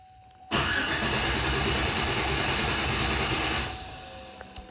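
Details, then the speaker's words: 2007 Chevy Silverado right after fuel pump replacement, first start attempt: about three seconds of starter cranking that never catches; crank no start, cause unconfirmed; it started on a retry with the pump heard buzzing. "I guess it wasn't a fuel pump."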